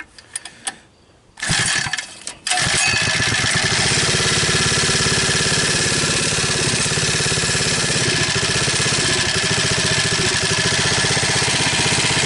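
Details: 79cc 4-stroke engine swapped into a 50cc ATV frame, starting after cranking attempts: a couple of pulls, then catches and settles into a steady, even putter with no misfires or knocks.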